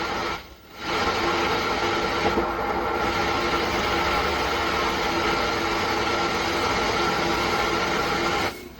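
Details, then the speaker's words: MR solid-state 120 W amplifier with cassette player (MCR 125) switched on with no input, no memory and no FM: loud steady hiss like a radio tuned between stations. "सनसनाहट की आवाज आने लगती है। ठीक उसी प्रकार से इसकी आवाज सनसनाहट की आ रही है।"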